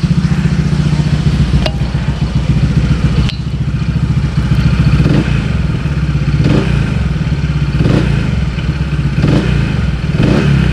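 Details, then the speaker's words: Scooter after CVT repair for clunking ("klotok") at idle: engine idles and takes short throttle blips smoothly, with none of the earlier CVT clunk or shudder. "bersih ya enggak ada suara klotok-klotok yang dari sebelumnya"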